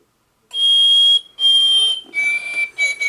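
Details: Singing bird clock with replacement movement: clear high chirping song starts, pauses, resumes slightly lower; hourly song plays normally, a little past top of hour.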